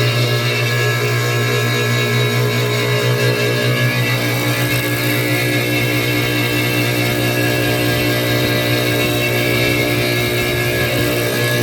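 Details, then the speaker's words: Refrigeration unit with four evaporator fans; one rusted, discoloured evaporator fan motor is seized, giving a steady hum with an uneven rattling clatter while the other three spin normally; condenser recently replaced after repeated leaks. "ito ito Ayon ah maingay na kung narinig niyo yung tunog ngayon idisconnect natin yung isang fan kasi yung apat yung tatlo na yon ay umiikot So ibig sabihin ay okay sila so maliban lamang dito sa nag-iisa na ito na iba yung kulay niya"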